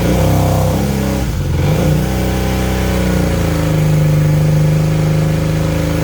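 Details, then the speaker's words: 1980 Honda CB400N after greasing the tachometer with white lithium grease: even idle and smooth throttle blip, with the tacho squeal/whine gone; fixed, running normally. "well there you go you're pretty much well it completely fixed it i can't hear anything now"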